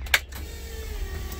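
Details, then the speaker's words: Supercharged Coyote-powered Ford Fairmont on a dyno with a Magnafuel 750 return-style, boost-referenced fuel system, key on engine off; a click then a faint steady electric hum sagging slightly in pitch; normal fuel pump prime. "flip the switch on this guy and you'll hear the fuel pump should be able to hear the fuel problem to activate"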